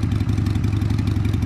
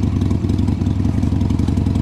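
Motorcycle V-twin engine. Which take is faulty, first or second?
first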